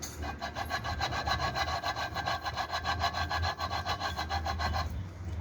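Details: Honda XRE/CB 300 crankshaft bearing, removed and spun by hand, gives a harsh gritty rasp pulsing about three times a second; worn, damaged crankshaft ball bearing, both sides replaced.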